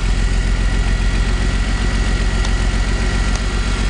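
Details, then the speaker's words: E46 BMW 3-Series during a power-balance test at idle: a slightly uneven thumping beat, and unplugging cylinder four's coil changes nothing. Cylinder four is dead, although the earlier code was for cylinder two. "See that four? No response there."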